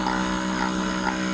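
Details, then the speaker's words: Good Pumps small diaphragm water pump after cleaning and reassembling: steady, even low buzz at constant pitch, no knocks or surging, now drawing and moving water normally; normal pumping after repair. "Higop na an mahigop na siya okay na to"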